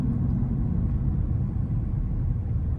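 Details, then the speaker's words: In-cab recording, radio off and AC low, Mickey Thompson Baja Boss A/T tires at about 60,000 miles, around 60 mph: steady low rumble and drone with slight singing, still riding well; worn tire road noise. "Got the radio off, AC cut down, so if you hear any noise, that would be the tires. They got a little bit of singing going on, but other than that, these things, I mean, they still ride good."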